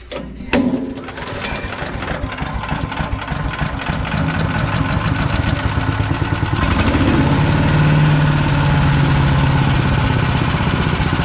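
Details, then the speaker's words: PowerMate 212cc wood chipper, used once and broken, choke closed, fuel on: single-cylinder engine starts and runs a fast, slightly uneven chug with a faint whirring note on top; owner doesn't recall this noise, source unclear. "all right so that's something in turn I guess it makes that noise I don't remember hearing that"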